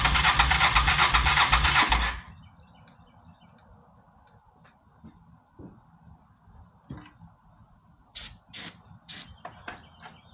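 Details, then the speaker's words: Honda PC800 Pacific Coast, likely not started since about 2007–2008, air cleaner off: it fires on starter fluid, roars roughly for about two seconds, then dies. It runs only on starter fluid, from stuck carburetor floats and clogged jets. "Get a little bit of starter fluid. Thing started up. I can't believe it. Was not expecting that."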